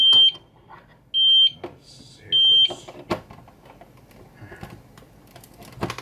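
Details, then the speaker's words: APC Back-UPS ES 525 (300 W) under teardown and repair after it stopped working: three loud steady high beeps about a second apart, the UPS alarm reporting no AC power though it appears to be working. "whoa okay well it's saying that there's no power but it appears to be working"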